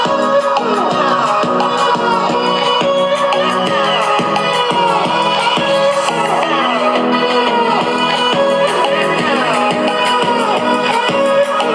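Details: JBL Pulse first-generation Bluetooth speaker after the broken foam ring suspension was replaced, upbeat music playing clearly with no crackle, buzz or rattle; the crackling repair succeeded.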